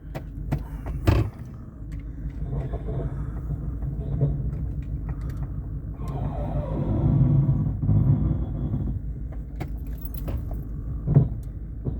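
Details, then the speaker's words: 2011 Chevy Silverado idling: low rumble broken by sharp hollow clunks when shifted between drive and reverse; driveline clunk, cause unknown. "this is what it's doing when I put it in gear back and forwards it makes this clunking noise"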